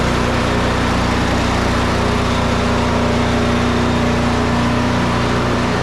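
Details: Snow Beast 45SB 45-inch snow blower with DEK 420cc single-cylinder engine, started up: steady, even drone with constant low hum, no knocks or misses; running smoothly.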